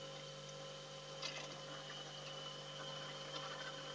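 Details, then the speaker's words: Refrigerator freon recharge halfway through, after vacuum, capillary tested by holding the pipe: steady hiss and soft gurgling flow over a faint hum, even and unbroken; refrigerant passing freely, capillary not blocked. "Anda dengerin jadi ini suaranya Ini Yang Namanya tidak mampet"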